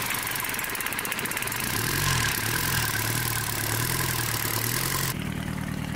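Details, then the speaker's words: 34-year-old Sabb M4 diesel after injector pump rebuild and electric lift pump, water hose cooling it: even idle under hiss of running water, steady beat, no misfire or knock; normal idle. "there you have it after a long and challenging Journey the engine is finally running smoothly"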